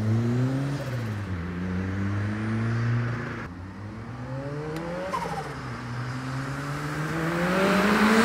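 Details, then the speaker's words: Ford Escort RS Turbo CVH, Cosworth EFI management, after Newman stage 4 camshaft fitted and gasket sorted, boost raised, cold air: revs climb cleanly through each gear, dropping at shifts, no stutter or popping; misfire gone, pulls to the limit. "that cam has made a huge difference no more misfiring their car pulls all the way to the limit"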